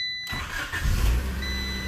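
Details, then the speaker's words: Honda Civic starting after a new fuel filter replaced the apparently original one: short crank, engine catches and settles into a steady even run, chime in background; normal start, no fuel leaks. "let's start up the car and see if we have any leaks"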